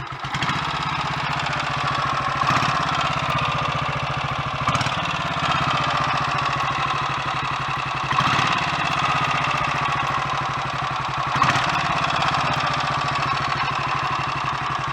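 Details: Royal Enfield Electra X single idling just after its first cold start following a rebuild with new big end, conrod and piston: steady thump with light mechanical clatter. It is quieter than before.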